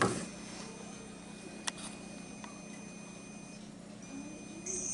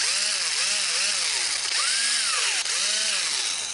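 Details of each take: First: Snap-on 18 V cordless impact wrench running on a freshly rebuilt battery pack (cells replaced, 1.2 V cells strapped in series): two sharp, strong whirring bursts spinning up and down crisply; healthy normal impact wrench operation, strongest in a long time. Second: Worn DeWalt 1/4-inch impact driver: motor whine rises and falls with each trigger pull over a gritty rasp; owner thinks the gearbox is about to fail and is grinding.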